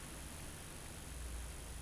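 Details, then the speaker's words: Fender Hot Rod Deluxe MKIII valve amp with frying-egg speaker noise, V2 preamp valve (ECC83) pulled: only a faint low hum and soft even hiss, so noise lies in that valve or its circuitry; normal low noise floor. "let's pull the second valve now and see if the noise vanishes especially as it's being as it's being nice for us and performing so i'll pull this one oh that's gone quiet"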